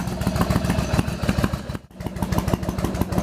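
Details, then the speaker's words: Yamaha Virago XV1100 V-twin idling with a lumpy beat and a brief cough through one cylinder; long-term intermittent misfire; charging read 13.6 V at idle, dropping to 12.5–12.6 V at mid revs; before the regulator rectifier was replaced. "after a while it starts to coffin and splutter through one of the cylinders"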